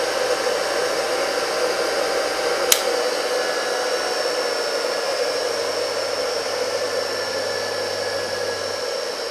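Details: Single-phase 2 HP (2CV) high-voltage motor after repair with all parts replaced, running unloaded at 7.7–7.8 A: steady even hum and whir, no knocking or rubbing, one sharp click; smooth, healthy, ready for the customer.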